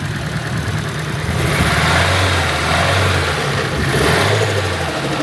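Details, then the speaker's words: Nissan S13 with SR engine after fitting a new spark plug, revving: uneven, stumbling beat with dropped pulses, still missing, less shaking, heavy smoke; owner suspects bad injectors, unconfirmed. "Little less shaken. Less shaking. Still some shaking. Oh, a lot of smoke out the back. Oh yeah, we let some fall. Still missing, it looks like."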